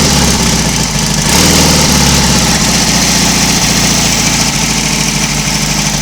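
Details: Royal Enfield Constellation twin, cold start the morning after first two-cylinder run, both cylinders fed from one carburettor, no wet sump smoke; settles into a steady, even idle with firm low beat, no knocks or misses; running cleanly.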